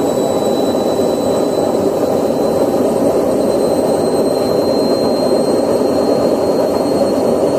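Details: Candy washing machine spinning drum with a loud steady rumbling roar from worn drum bearings.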